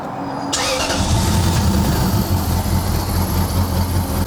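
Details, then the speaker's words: Lexus LS400 petrol V8 after intake manifold work and ECU reinstalled catching quickly and settling into a smooth, even idle; no misfire, no check engine light, sounds healthy. "Now the car does turn on. No misfire, no check engine light. And it sounds healthy."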